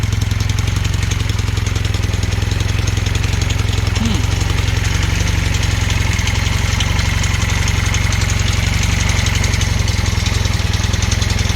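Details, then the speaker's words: Honda Hondamatic 400 first run after 20+ years sitting, oil full and clean, oil light off: rough idle with uneven light top-end tapping, about three or four a second. A rocker arm or lifter is suspected, with sticky valves. Top-end knocking. "I don't know what that knocking is oh it sounds like a lifter up here rocker arm hear that yeah that's a rocker R up top"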